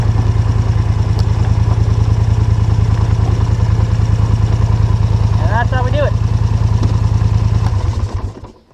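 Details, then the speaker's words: ATV descending a hill using its engine-braking mode (like low range, not a true Jake brake): low, fast, lumpy, grindy pulsing as the engine holds the quad back. Normal engine braking. "I don't know if you could hear that that grindy noise when I was coming down the hill. I put the Jake brake thing on. It's not actually a Jake brake, but it's like one."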